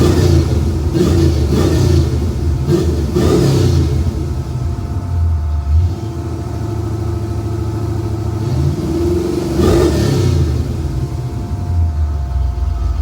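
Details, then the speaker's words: 1991 Ford Mustang LX 5.0, rebuilt 306 with E303 cam, Edelbrock 1406 carb, BBK long-tube headers, H-pipe, Flowmaster Super 40 mufflers: throaty burble swelling on quick throttle blips, settling to steady idle; healthy V8. "It's got the Flowmasters on it. I will be attaching a sound clip of it with open headers, but I will try and get a few different angles, both revving, idling, and everything, so you have a pretty good idea of what she sounds like."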